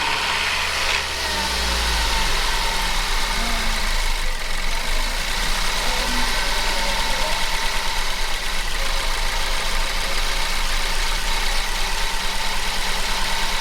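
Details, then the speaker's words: 2012 Ford Focus first start after transmission rebuild: uneven shaky idle with RPM wavering up and down; rough running caused by a throttle body plug not connected properly, smoother once plugged in. "Alright, so it's running a little rough, very rough, but I'm going to turn you guys off and kind of figure this out."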